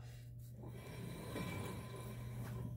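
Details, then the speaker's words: 2011 Subaru Outback 2.5L single-cam, CVT, front brakes: rotor turned by hand makes a nasty rough scraping grind over a low hum from worn pads; owner notes it is mainly audible when reversing, barely heard driving forward. "if you don't hear any noises but grinding of course you can identify which one by simply rotating it right there you can hear that nasty grinding sound"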